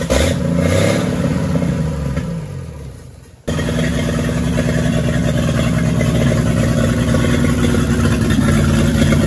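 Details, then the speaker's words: 1942 Chevrolet G506 inline-six on 12 V, first firing after distributor adjustment: starts after a brief dip, then holds a fast, even idle on choke, revs up and back down with no knocking; normal high idle, water pump weeping. "that was with it you know kind of on a high idle with the choke but uh it doesn't sound all that bad and you bring up the rpms bring them back down she sounds good and healthy no knocking no anything"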